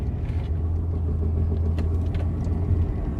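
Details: 2018 Toyota Camry XSE V6 driving: deep, steady droning hum under road rumble that grows with speed, worse when turning. A worn front wheel bearing; replacing it eliminated the noise.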